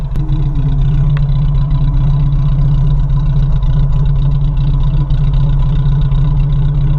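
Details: 1987 Suzuki Samurai warming up after fuel filter change: low, lumpy idle with irregular stumbles, missing badly; owner suspects catalytic converter; it stalls at stops, floods, smells of gas and blows black/bluish smoke; front belt or pulley noise also present.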